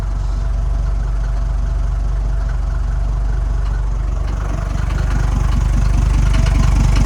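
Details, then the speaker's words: Mercedes T1 OM602.940 diesel after engine rebuild and head work, cold morning start, engine cover on: steady smooth low idle, no knocks or misses; starts less well than it should due to a compression leak. "it's not starting as well as it should because of the compression leak but as you can hear it's pretty nice and"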